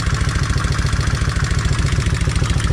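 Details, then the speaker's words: Kawasaki Vulcan 1600 V-twin at idle, after increasing oil flow: steady light tapping from the rear cylinder's rocker arm over the lumpy exhaust pulse, with air solenoids clicking hard. "But I can hear this rock arm on the back exhaust, or not exhaust, but the back cylinder. I can tell it's tapping still."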